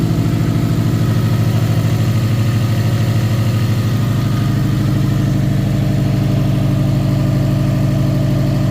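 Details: Subaru WRX STI EJ25 2.5L with oil pressure gauge fitted, idling about 55-60 psi: heavy regular deep bottom-end knock at idle and light revs; suspected rod knock.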